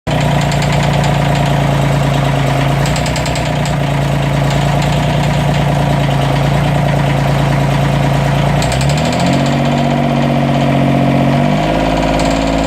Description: There's intermittent misfire and a loud clicking sound. I think there's a head gasket leak, amongst other things.